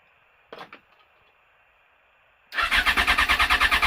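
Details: Yamaha FZ6 cranks with an even starter pulse about three beats a second but the engine never fires or catches; won't start.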